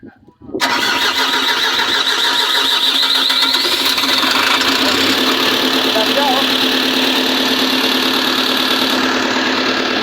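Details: Volvo 210D diesel, being troubleshot for a no-start, catches after a brief crank and settles into a steady, even idle with a high alarm tone on top. The alarm was traced to a faulty fuel sensor, which was removed. It now runs normally.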